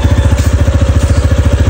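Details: KRV scooter that was hard starting, now running on a substitute ECU: steady, even low thumping at idle, no misses; starts on the first try, fault traced to the original ECU.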